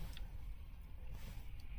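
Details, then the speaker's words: Volvo XC90 base model, 3.2 litre, check engine light on (P0420/P0430), cranking: low, lumpy churn with one compression pulse seeming lighter; suspected low compression in one cylinder, oil seen earlier in cylinder 2. "I've done some work to this vehicle before, and the engine does not sound too good when cranking. It sounds like one cylinder is low on compression"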